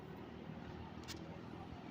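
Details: 1974 Kmart K-223 20-inch box fan, McMillan motor, unrestored, apparently well oiled, fitted with a four-wing Lasko blade, on medium speed: steady even air rush with low hum, no rattles, ticks or scraping; normal running.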